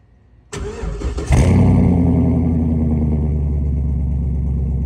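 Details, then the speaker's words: Bone-stock LS 6.0 V8 on a cold start, before a planned rebuild and power adder: the starter cranks briefly, then the engine catches into a high, steady cold idle with an even rumble; normal cold start. "So stay tuned, and we're gonna do a cold start on it today. Let you guys hear it. It's bone stock right now."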